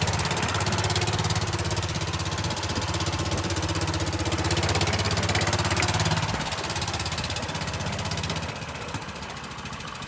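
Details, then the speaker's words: Golf cart engine at idle with a blown exhaust gasket, before repair: extremely loud, raspy idle with a sharp chuffing pulse; the gaskets are then replaced. "uh feels on will it start this thing is Extremely Loud right now"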